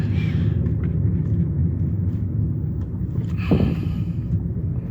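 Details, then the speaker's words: 2008 Hyundai Elantra cruising, heard from inside the cabin: constant low droning road roar with no rhythm or tone from the tires, the noisiest owner has experienced, annoying on the expressway; tires due for replacement soon. "I don't know if the video will pick it up, but these tires are absolutely noisy. They are the noisiest set of tires I've ever experienced. Like, on the expressway, it's annoying as hell."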